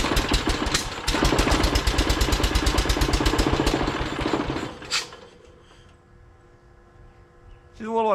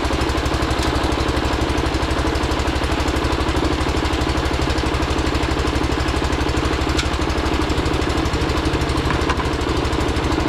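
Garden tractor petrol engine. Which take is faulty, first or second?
first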